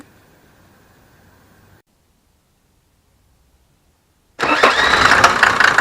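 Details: 1987 Mercedes 190D, OM602 2.5L five-cylinder turbo diesel: quiet, then at about four seconds catches and settles into a steady clattering idle; condition not clear by ear.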